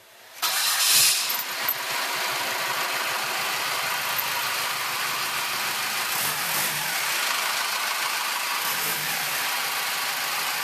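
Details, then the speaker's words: Early Ford Bronco with bone-stock mechanical diesel, no glow plugs, started without preheat: catches quickly after short crank and settles into even, steady idle with no misses or knocks; only a little smoke on startup. "You get a little bit of smoke on startup. It really doesn't smoke much at all. We haven't done anything to the engine. It's bone stock."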